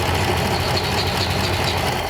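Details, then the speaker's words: 1934 Ford Coupe, replacement flathead V8 just installed after running on stand: started on half a crank with no choke, settles into even, steady low idle with no misses or stumbles; normal idle. "Wow, that started out very easy. That was like half a crank and it just sputtered on its No own. choke, no nothing."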